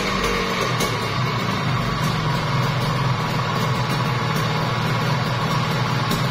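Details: Kawasaki Ninja RR two-stroke, overbored, block and piston check: steady, even buzz with no knocks or rattles, bottom end smooth, slight smoke; normal running.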